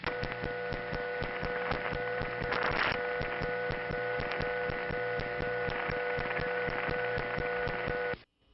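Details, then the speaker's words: 1977 Bronx Kingsbridge central office, panel supervision test call with pulsing ticks muted: steady mains-type hum with a constant tone stack and faint regular ticking; that office's normal power-supply noise. "the sound of the Kingsbridge building"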